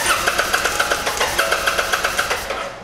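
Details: Kawasaki Vulcan 800 Drifter (VN800E) cranked while reading pickup coil AC voltage (pickup tests good): starter spins engine in even pulses about four a second, never fires; no spark, traced to faulty ignitor.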